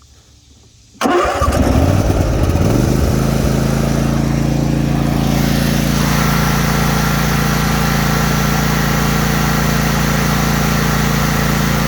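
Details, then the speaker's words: Simplicity ZT1500 zero-turn mower with a 23 hp Briggs & Stratton and 46-inch deck, started on choke: a short crank, a quick catch, then an even idle of about four pulses a second; it runs super smooth with no smoke. "Engine runs super smooth. No smoke. Idle it down for you. Idle sounds great also."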